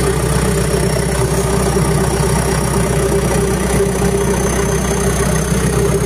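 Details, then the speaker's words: Diesel at steady idle; even low rumble, stable RPM, no blue smoke, pump running, engine being observed for a few minutes for overheating; normal idle. "so for the start so no blue smoke or rice smoke on the exhaust Spice and the engine is a RPM is stable and pump is also b"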